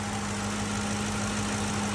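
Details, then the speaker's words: 2007 Ford F-150 5.4L 3V Triton V8, first start after replacing the bad rocker roller arms (without camshaft removal): smooth, steady idle with good oil pressure, the valvetrain tick gone. "sounds beautiful ticking is gone keep letting it idle do its thing"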